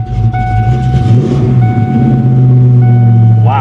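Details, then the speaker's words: 1993 Ford Mustang GT convertible, manual, bought at auction, with a stiff clutch, a check engine light and repeated stalling. A deep, loud, uneven exhaust rumble at idle with a chiming tone: a ridiculously loud exhaust. "this thing is ridiculously loud guys"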